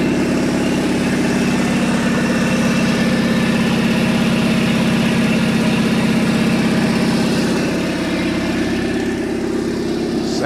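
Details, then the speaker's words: Abandoned Chevy S10, 276,073 miles, revived in junkyard after fuel and ignition troubles, temperature gauge rising: steady even idle with smooth regular beat, no knocks or ticks; normal idle. "7even sounds good"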